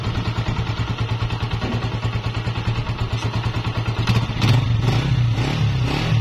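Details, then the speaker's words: Honda CG 125, 2017, 30,000 km, after replacing cam gear, piston rings, magnet seal and oil for engine noise: even single-cylinder thump a little over two beats per second, short blip; no knock or tapping left. "जी तो दोस्तों आपने इसकी आवाज भी check कर ली अल्हम्दुलिल्लाह आवाज 100% clear हो चुकी है"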